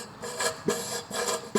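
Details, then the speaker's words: Deutz 6006 tractor hydraulic lift, cylinder down in free float position: soft raspy hiss in and out about once a second as the cylinder breathes air; normal, stops when the handle is lifted. "You can hear that. That's the cylinder just sucking air in and pushing it back out. And that's what it's supposed to do because right now it is down in that free float position."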